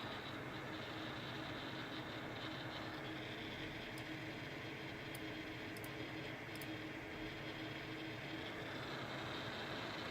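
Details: GTX 1070 graphics card fan: steady rushing with faint buzzing hum, abnormal noise only between 40 and 80 percent fan speed, disappearing below 40 or above 80 percent.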